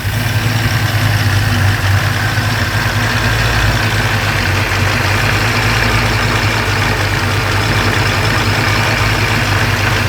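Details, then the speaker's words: 1940 Ford pickup with supercharger at idle: steady loud idle with rough hollow drone and gritty whir; owner suspects blower rotors touching, not confirmed, noise later worsened with crunching. "Now to me that sounds like the rotors are kind of touching."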